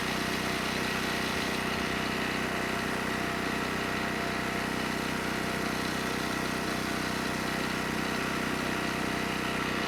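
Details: ETQ 2700 W generator, 163 cc engine, brushless powerhead, loaded 100 W over rated wattage: steady even drone at constant speed, no hunting, misses or knocks; stayed near 61 Hz, 118 V, running healthy.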